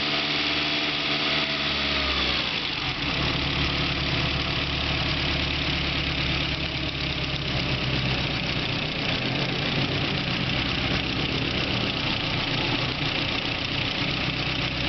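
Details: BMW E30 M3 S14 engine at even idle with a light, steady top-end ticking over the engine note; cause not clear.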